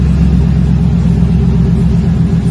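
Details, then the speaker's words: 2020 Chevrolet Silverado RST 5.3L V8 with a Magnaflow single-in single-out muffler, factory resonators removed, factory cats kept, 4-inch dual tips; deep, steady, even exhaust rumble after the cold start mellows, no drone or rasp, healthy. "got a little rumble a cold start not too bad kind of settles down see it just went through that cold start mellows it right down shouldn't wake up the neighbors too bad with this one"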